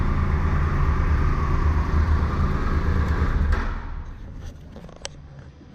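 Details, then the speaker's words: Triumph Tiger 1200 Explorer at 45,645 on the odometer, idling after repair: excessive play in the alternator housing and bearings, bearings replaced. Even, steady low idle thump, then fades out; no clock-like knock remains. "O problema realmente estava no alternador mesmo, tá? Tinha uma folga excessiva lá na carcaça do alternador e nos rolamentos. Então montamos aqui, o barulho foi embora."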